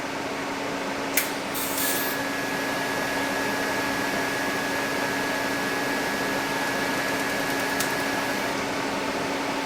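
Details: TIG welding plug welds into old scope holes on a rifle barrel, DC negative around 80–85 amps with 1/16 filler rod; steady even arc hiss with faint constant hum, no crackle or sputter; stable arc.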